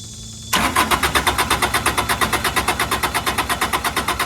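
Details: Carrier Supra 850 reefer with Kubota D722 diesel, 48.94 engine hours, possibly unstarted about five years, fuel filter not changed: steady starter cranking about three beats per second with even compression pulses, never catching.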